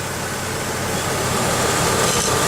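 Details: 1995 Pontiac Grand Am SE 3.1-litre at idle after removing the coat hanger that had been supporting the catalytic converter: even, steady idle with a smooth hum and no squeak; the supposed alternator noise is gone; normal idle.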